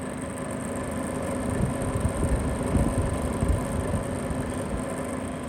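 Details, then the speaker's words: Vollara Surface Pro air purifier, about five years old: steady low fan hum with intermittent rumbling rattle; blade looks wavy, out of balance or loose; motor bearing oiling planned; fan rattle. "But hear that noise. I'm just looking at the blade. It's like wavy center of it. Yeah, it's like out of balance."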